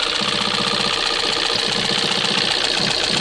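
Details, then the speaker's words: 2025 Kia Soul, 12,000-mile engine sludged from constant idling and low oil, warranty denied: smoky idle with a loud, busy metallic chatter from the valvetrain starved of oil, plus something hitting (possible broken motor mount). "mean, it is just clattery, chattery. Also sounds like this thing's got a broken motor mount. Yeah, something's hitting, but you hear how chattery it is?"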